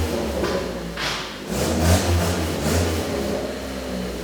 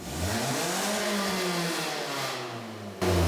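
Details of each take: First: Toyota All-Trac engine revving after an exhaust fix routes all exhaust out the back: subdued, slightly tinny rasp at the tailpipe, much quieter inside the car; normal exhaust note. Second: Toyota All-Trac exhaust after a welded repair, idling and revving: a thin tinny rasp over the exhaust note from a small leak still left by the rear muffler because the welding wire ran out; otherwise much quieter than before.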